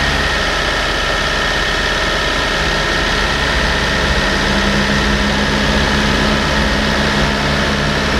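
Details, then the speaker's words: Land Rover Discovery 300Tdi diesel bought from a Copart salvage auction, first start on jump leads with the stop solenoid held: loud, steady diesel clatter with an even beat and a faint rising tone, running smoothly with no knocks; normal running. "right it runs so let's see if this works"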